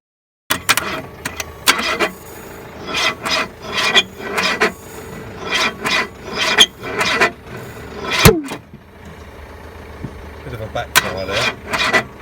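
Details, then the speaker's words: Renault 5 stood 20 years, fuel in carburettor, new battery plus jump pack: starter drags the engine slowly, about two turns a second, never firing; cylinders suspected rusted, unconfirmed. "it just seems to be spinning over so slow I'm going to carry on recording now and you can hear it spinning over yourself"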